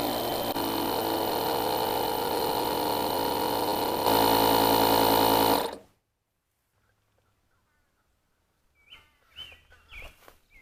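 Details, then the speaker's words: JFEGWO 8250 portable jump starter's built-in air compressor inflating a car tire from 3 to 40 PSI in about four minutes: fast steady piston chatter, about four beats a second, holding even until shutoff; normal tire inflation. "all right 4 minutes 25 seconds probably you know with me taking my time hitting that stop button probably more like 4 minutes that's pretty respectable to go from 3 PSI to 40 PSI"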